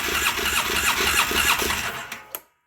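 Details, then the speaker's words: 2009 Polaris Sportsman 800 that sat about 6 months, tank flushed and fresh gas added, fuel pump now running: starter churns in an even beat about three times a second without catching; fuel system dry, needs priming. "yeah the pump's working it's going to take a minute to get primed the system's totally dry actually the pump's totally dry"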